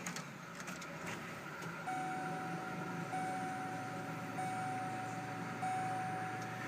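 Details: 2000 Chevy Impala LS, 3800 V6 with 4T65 transmission, 101,000 miles, check engine light on with stored fault, started during inspection: steady, even idle, no knocks or ticks, faint electrical whine on top; sounds healthy, normal idle.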